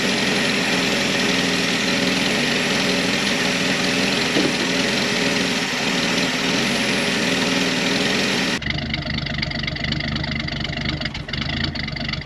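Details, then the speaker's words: 1972 Ford F-100 240 inline-six automatic, barn-stored since 1995, carbon-cleaning spray down carb throat while running: even, fast, steady idle, no misses, knocks or hunting; running healthy, transmission goes into gear. "this thing is running so good the transmission's going into gear"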